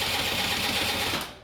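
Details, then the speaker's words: Dio scooter after cleaning an internal oil-pump leak and the crankcase, compression present: brief starter whir that fades without catching. It won't start because the fuel pump fails to deliver fuel; it was fixed with a gravity-feed tank. "袂输油啊，这油管伫遮，哪会袂输油？我气管无害，袂输油呢，奇怪，这气缸是有压缩的，可能气管不来行的输油。"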